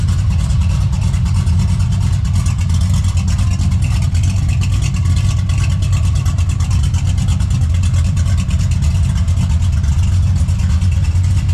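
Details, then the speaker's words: LS-swapped Box Chevy wagon V8 with a big cam, partly tuned on a janky swap harness (new harness ordered): deep rumbling idle with a steady uneven lope that holds level, idling pretty good; normal cammed idle. "But man, he got it to idle pretty good. Fire it up and let y'all hear this whole thing lope around."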